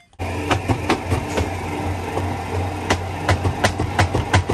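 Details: LG WP-1650ROT washing machine, long in use: spin tub hums steadily while sharp irregular knocks bang about three times a second during spin.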